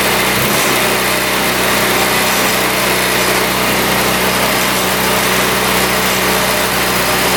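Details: 2017 Tao Tao scooter on choke after tight exhaust valve fixed, carburetor cleaned, fresh fuel and oil: small engine fires right up and holds a steady, even buzzing idle with no stumbling; running healthy.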